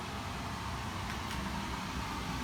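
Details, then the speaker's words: Existing furnace with about 2-year-old 4-ton Trane outdoor unit and coil, before replacement with 20 SEER zoned system: steady loud rushing air with deep low rumble, blower feeding straight out the cabinet back into the return. "it's really loud and so the existing unit of course course right there just feeds immediately out of the back of the cabinet right into the return"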